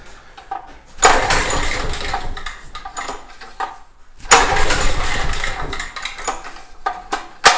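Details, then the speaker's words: Craftsman portable generator, sat a while and likely tinkered with, governor spring suspected too strong: engine bursts to a high surging howl, drops, then races again unevenly; over-revving, risk of throwing a rod. "I got to be ready to kill it, because when something's over revving like this, I mean, as soon as you notice it's over revving, you need to kill it. You don't want it to, throw a rod."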